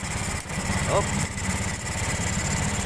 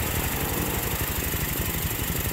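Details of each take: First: Honda Beat scooter with hard starting and low power: rough, uneven idle with stumbles, lacking power; ECU suspected, mechanic also considers fuel pump motor or fuel filter. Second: Honda Beat scooter after the hard-start and misfire fix, no check-engine light: small single-cylinder idles quickly and evenly with no sputter or missed beats, running cleanly.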